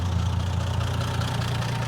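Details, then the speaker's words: 1980 Plymouth Volare slant six, sat for years, started easily just now without pumping the gas, on an old battery and cables. A smooth, steady six-cylinder idle with no stumble, ticking or knock: it purrs. "Let's listen to her run. I mean, it's kind of hard to beat a slant six. It just sits there and purr."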